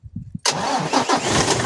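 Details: Isuzu 6WG1 diesel cranks a few quick pulses, then catches at once and settles into a steady, even run after fitting rebuilt, calibrated injectors; previously hard starting, low power, heavy breather smoke.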